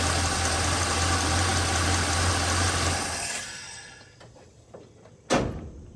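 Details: Small-block Chevrolet 350 after valve adjustment, rockers set to factory three-quarter turn past zero lash: smooth, even idle for three seconds with no valve clatter, then shutdown; normal idle.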